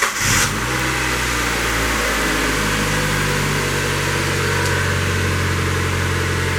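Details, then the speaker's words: 2000 Mazda Miata first start after timing belt change, valve cover gasket leak repair and other component work: cranks briefly, catches cleanly, steady even idle with no stumble or misfire; runs healthy. "I like it. Alright, we'll let it run, get hot, top off the coolant, and take it for a test drive."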